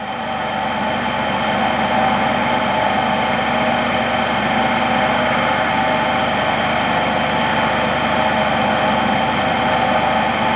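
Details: Motor-generator (AC–DC) trainer set, AC motor driving a DC shunt generator during voltage build-up at about 220–223 V, 0.23 A field current: steady, even hum with a constant electrical whine and no knocks or surges; running healthy.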